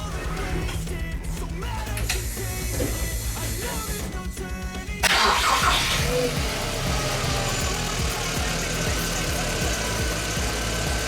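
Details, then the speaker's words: VW Polo GTI after long storage with a flat, sulfated battery, started via jump/boost pack after the fuel pump prime, heard from inside the car. The starter cranks briefly and the engine catches into a raised, steady fast idle; a normal start. "Now, as you can see, the vehicle started. I'm going to let it come off fast idle for a moment, so it's a little bit more quiet in here, and then we'll go from there."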